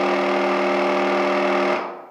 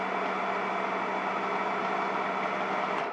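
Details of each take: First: Graco TrueCoat Pro 2 paint sprayer, the stronger of two units, still spraying well and cleaning up fine: smooth steady hum with even buzzing tone, no knocks or surging, winds down cleanly; normal pump running as it's supposed to sound. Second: Graco TrueCoat Pro 2 paint sprayer: steady low electric buzz with thin soft hum, then winding down; one of two units, seemed lower powered and quieter from the start, sprays less forcefully, later stopped spraying after cleaning; weak pump motor.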